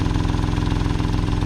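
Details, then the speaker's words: Corsa C budget youth race car build, stood for many years: steady, even idle with a soft rhythmic puff on each firing pulse, a small exhaust blow somewhere along the system; exact location not confirmed. "if we keep it I think it's asking to be stripped isn't it it's definitely got a bit of a blow"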